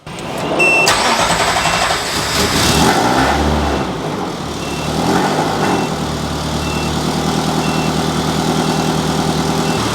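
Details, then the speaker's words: Ferrari-engined Alfa Romeo 105 restarted after a nasty engine failure: quick crank, catches at once, a couple of blips, then a steady even idle; it runs and sounds better, cooling still to be checked. "Fingers crossed. It starts, it runs, it sounds better, and we also need to see if it keeps cool."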